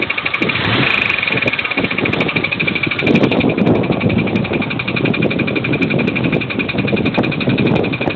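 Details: 2003 Pontiac Grand Am GT, under 170,000 miles: a fast, even knock keeps pace with engine speed; the owner suspects lifters or a connecting rod bearing. The motor blew six months later. Engine knocking.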